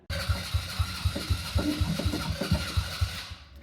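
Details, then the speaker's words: Dune buggy engine started cold after running about 1h40 the day before: lumpy, stumbling beat about four times a second that fades and dies after a few seconds, same fault as before; valve clearances out of adjustment, to be readjusted. "yeah so it's doing the same thing it used to do which was the issue with the valve so I'm going to pull the valve cover off and readjust those"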